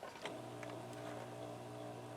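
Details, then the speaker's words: Philips EL 3542A open-reel tape recorder after motor repair: steady low hum, no scraping or rubbing; motor now silent. "Silent now. That's what I want. You can hear it humming, but the motor's silent. No more rubbing noises."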